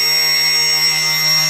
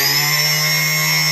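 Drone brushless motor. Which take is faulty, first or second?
second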